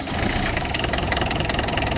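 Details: Tata Indigo diesel just after cranking, with a loud, rapid, sharp clatter over the idle; caused by lost power to the two-wire switch on the injection pump, from a cut switch, blown fuse or wiring fault, not advance/retard timing.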